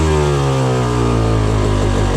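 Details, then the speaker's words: 2004 Yamaha YZ250 two-stroke after leaner jetting and a float height check: soft, burbling, blubbery idle that sounds like it's drowning out, still slightly rich, instead of a crisp pingy idle, though with noticeably less smoke. "It almost sounds like it's drowning out a little bit. That sounds a little bit rich, but there's also noticeably less smoke."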